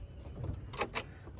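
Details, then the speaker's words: Key on, engine silent on a Chevrolet Suburban with a no-crank, no-start: two sharp clicks about a quarter second apart as a part cycles on and off; owner suspects the ECU is cutting power on its own. "is uh intake flapping trigger trigger trigger"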